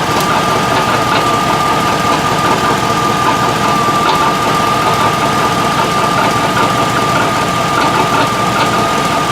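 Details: 2003 Tahoe V8 steady idle with a faint, irregular knock every second or two under a thin whistle; suspected exhaust leak from broken exhaust manifold bolts, unconfirmed.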